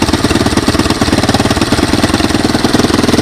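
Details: 1986 Honda TRX200SX cold start on a portable GY6 12 V DC CDI ignition with a Honda 200S carburetor, choke on: single cylinder popping evenly, slightly choppy but steady; started easily, no smoke, no oil leaks. Normal cold idle.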